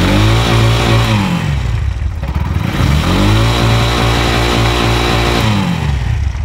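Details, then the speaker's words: Bajaj auto-rickshaw BS6 CNG engine after injector work and tank cleaning: it starts on the self-starter after a 10-minute wait, runs steadily, and revs climb and fall twice smoothly with no misfire, running normally. "10 ನಿಮಿಷ ಆಯಿತು ಇದು start ಆಯಿತು ಗಾಡಿ ಒಂದೇ ಸೆಲ್ಫ್ಗೆ."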